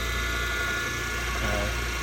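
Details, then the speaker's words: Older chilled-water pump on an air-cooled Trane CGAM chiller, running at about 210 volts per leg without overamping: steady hum with a faint rough, gritty edge from slightly worn bearings, mild but not too bad. "so we verified the pump is running it's an older pump you can hear the bearings a little but it doesn't sound too bad"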